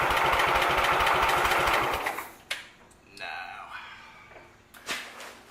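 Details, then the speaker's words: Sears Suburban tractor, carburetor greased and refitted, spark confirmed, float heard bouncing, half throttle: starter spins fast and evenly for about two seconds but the engine never fires; carburetor suspected. "why this thing didn't start I don't know it should have should have popped a life for us"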